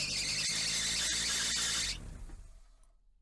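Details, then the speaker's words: Toyota Corolla on cold startup, reservoir full, after draining and refilling twice with Lube Guard power steering fluid: steady high squeal/grinding over cold idle, stops at shutoff; noise normally fades once warm; additive didn't fix it, pump to be replaced. "still has a sound so I guess Lube guard didn't fix the uh problem I'm going to have to change out this uh power steering pump"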